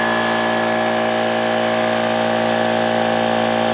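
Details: Old Brute air compressor, unloader valve leaking (check valve replaced, no difference), restarting after tank emptied via safety valve; loud pump drone with busy metallic clanking and clattering, worn tired pump, cause not confirmed.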